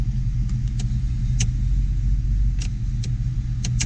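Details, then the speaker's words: 1992 Ford Mustang GT V8 after cold air intake and bigger throttle body: idle drops from 2,000 to 1,000, then about 750-600 rpm; low, steady rumble with an even beat, no misses or knocks; healthy idle. "Brought itself down to 1,000, and now we're sitting at about 750. 600. That kicked our idle down too, didn't it?"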